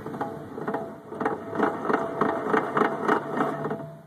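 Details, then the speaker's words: 1984 Volkswagen Scirocco driver-side front wheel bearing spun by hand: rough, gritty whir pulsing about three times a second, a worn bearing matching the noise the owner had. "so here's my driver side front wheel bearing I'll just spin it here sounds like there may be a slight issue with"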